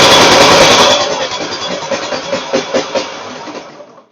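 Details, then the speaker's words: Gravely Pro Turn 160 zero-turn mower with a Kohler ZT740 engine that was misfiring, running down to a stop after shutoff near idle: loose clunking knocks about three per second. The engine is visibly loose on the frame, so the owner suspects loose mounting bolts. "So that's that's probably what my rattle is is the engine mounting bolts are loose."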